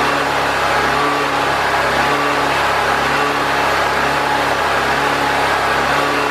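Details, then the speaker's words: Predator 4000 generator running consistently for an extended period after fuel and carburetor troubleshooting, adjusting for air-filter restriction and refitting the air box; smooth, steady drone at constant speed without surging or hunting. Old oil still in it. "so we got the generator running and it's running consistent I've cranked it up and turned it on let it run for quite a while"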